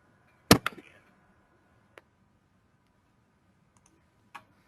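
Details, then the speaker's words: Faulty gauge stepper motor with larger knock and rub: a few sharp isolated knocks with a faint buzzy "ZZ" rub trailing off in a quiet room, unlike a good motor; knocks and rubs show as greater wavelet coefficients. "now I'll play the of the motor with nox and now is the sound of the motor with larger knock and rub"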